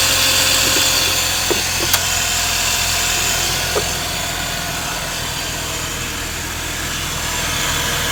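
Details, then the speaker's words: 131k-mile Mazda RX-8 R3 rotary at idle with a loud airy hiss and a few sharp ticks. The owner is unsure whether it is a vacuum leak and notes odd starting that could be ignition or a worn engine. He is considering a silicone aftermarket replacement. "sure if that's a vacuum leak I'm hearing. May have to order a full silicone aftermarket recording thing, recording replacement."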